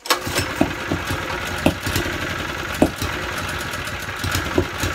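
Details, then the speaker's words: Honda GX160 generator engine started from cold with a little choke, a 110 V drill plugged in: stumbles unevenly with irregular surges and dips, hunting; rough running, too poor to power the drill, carburettor cleaning planned. "is not good there's no way that's going to run that drill on the site is it my god that sounds ropey"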